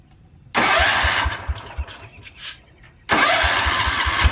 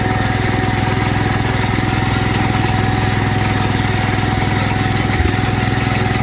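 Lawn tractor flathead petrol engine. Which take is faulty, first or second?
first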